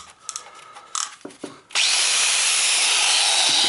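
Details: Chinese angle grinder that worked intermittently then cut out, run after the fix: handling clicks, then it spins straight up to a steady, even high whir. The brushes were fine and the cause was a loose wire not plugged on, now normal running.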